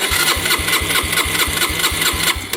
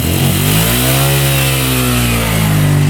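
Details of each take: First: 2011 Yamaha Raptor 125 quad, which the seller says bogged, lacked power and wouldn't idle: steady starter cranking about three pulses a second with the choke tried, but it never fires; the owner suspects it isn't getting fuel. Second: Yamaha Raptor single-cylinder quad after valve clearance check, with good compression and spark: steady, low, even putter, no smoke, no knocking, top end sounds good; normal idle.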